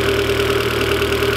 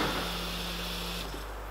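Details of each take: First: Turbo 1.8 20v petrol engine: smooth, even idle with a steady hum and no misses, knocks or surging; running as it should. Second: Turbo 1.8 20v petrol engine build planned for about 400 hp, injectors temporarily wired up with the rail held by hand: cranks, catches, runs unevenly several seconds, then stalls from a fuel leak at injector number one.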